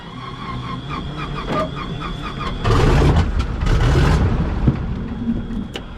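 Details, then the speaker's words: T-6 WWII trainer radial engine, part of a package with a MiG-15 that sat 12 years, last started 3 weeks ago: slow, uneven starter chuffs, then cylinders catch into a loud, rough roar; harder to crank but starts normally. "It runs. It runs. It fired up. It was a little more adventurous to crank up than the other one."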